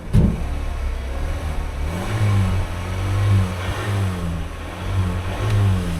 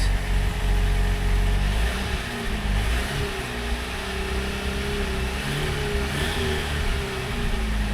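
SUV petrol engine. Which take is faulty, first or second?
second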